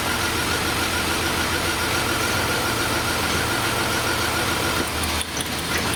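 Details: 1999 Chevrolet S10 4.3L V6 distributor engine with code P0300: uneven, stumbling idle with an irregular chuff, rattle and shake; one cylinder is dead from an eroded distributor cap terminal, driver's side rear.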